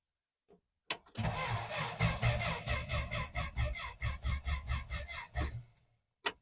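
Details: 1963 Dodge Dart, not driven in a long while: starter churns in uneven pulses, about two a second, for some five seconds and the engine never catches; cranks but won't start.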